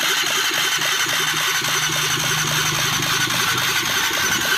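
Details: Honda CBR 150 after a full engine fitting: even idle with a quick, regular light tapping around three and a half beats a second, no knocking or rattles; healthy engine.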